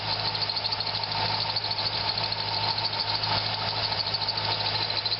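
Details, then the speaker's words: Corvette serpentine belt squeal at idle: a steady high squeal rides over a smooth idle; water on the harmonic balancer grooves silenced it, and extra tensioner pressure doesn't change it, so the belt itself is blamed, not pulleys or tensioner. "so I am going to conclude that it's just the belt maybe it's the brand of th"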